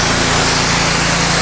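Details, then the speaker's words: Simpson MegaShot MS60921 pressure washer spraying with the 40-degree nozzle, no soap: a loud, steady engine drone with spray hiss at even speed; normal running under load. "You can hear how loud the unit is. There's when it's spraying."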